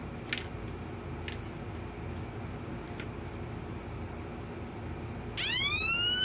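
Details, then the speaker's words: Homemade 1972 police-style siren oscillator with a 33 µF replacement timing capacitor: faint hiss and clicks, then a clean electronic wail sweeping steadily; pretty close to the original remembered sound. "pretty close to what I remember"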